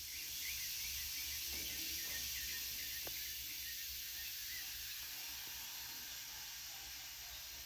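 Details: Tire being mounted on an old wheel, bead cleaned with a wire brush and greased, inflated with a small compressor: steady high airy hiss slowly fading as air escapes where the bead has not sealed on the rim; suspected, not confirmed.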